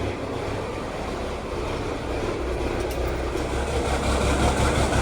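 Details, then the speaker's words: 1979 Kenworth W900A diesel truck just started inside the shop: deep, steady clatter rising slightly then staying even with no knocks or misses; healthy idle. "Oh yeah, sounds good. Old Smokey."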